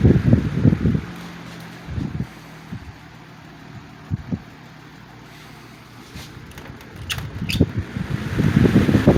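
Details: 1987 Patton CA-1284 12" rotary box fan after a clamp was tightened over the shaft to stop the blade slipping on it. A faint, steady low hum under some handling bumps, with no rattle; the racket is gone, though it is still slightly out of balance.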